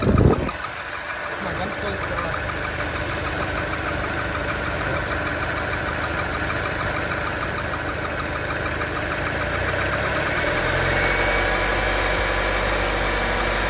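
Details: Opel Meriva B engine after starting: an uneven, busy clacking rattle over the idle; engine clatter at idle, cause unknown.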